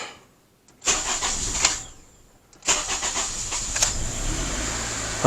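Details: Honda CR-V with a fuel system problem: two brief cranks, then the engine catches and settles into a steady run; normal start and run once fuel is delivered.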